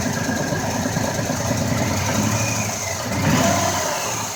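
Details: 2004 Ford Escape, formerly misfiring cylinder 4: even, steady idle with a smooth hum and a brief rev rise, no ticking or puffing; normal idle.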